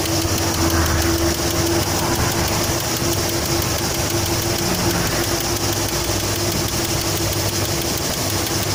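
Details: Great Wall Safe engine at idle: a faint, irregular tapping about twice a second over the steady drone; engine knock of unknown origin.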